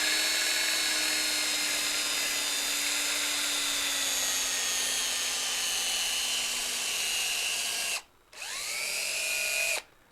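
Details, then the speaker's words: Cordless drill hogging out holes with a 5/16 bit: high motor whine sags slowly in pitch over several seconds, then stops and spins back up; drill bogging under load, battery apparently depleted, fresh battery fetched. "the drill the drill disagrees so i'm gonna go get another battery for it i'll be right back"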